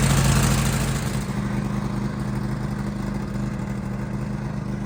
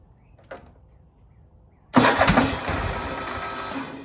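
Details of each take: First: 2015 Craftsman Pro 8300 tractor, Kohler KT745, after replacing the faulty starter (new solenoid hadn't cured the whine and no-crank): starter spins cleanly, engine catches and idles steadily, no grinding or whine; normal start and idle. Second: 2015 Craftsman Pro 8300 tractor, Kohler KT745 engine, after replacing the starter (a new solenoid alone had not cured a whining no-turnover fault): harsh crank that catches and runs unevenly a couple of seconds, no longer whining; rough start, old starter the culprit.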